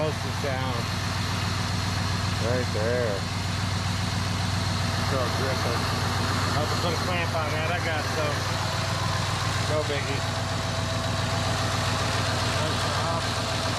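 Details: 2001 Cadillac DeVille cold start after new starter: steady, even low idle at slightly fast cold-start speed, no knocks or misses; running healthy, owner says it sounds good.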